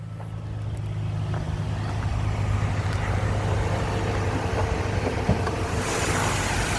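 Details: 2020 Ford Transit van, low kilometres, oil change due, heard from underneath at idle with air conditioning on: steady, even low rumble with no knocks, ticks or misses; normal healthy idle.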